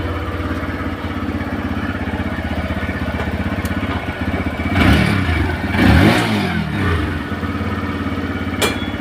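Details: TVS Raider motorcycle after timing chain replacement and adjustment, noise previously from chain setting: steady even idle thump with a couple of clean throttle blips, no chain rattle or ticking; normal idle.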